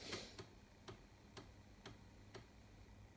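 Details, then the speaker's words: Commodore Amiga 1200 (circa 1992–93) floppy drive after restoration and reinstallation, loading a disk: soft, evenly spaced head-step ticks about twice a second in a quiet room; loads smoothly with no trouble, healthy drive. "and listen to the disk drive. It loads really nice now, no trouble, nothing, man."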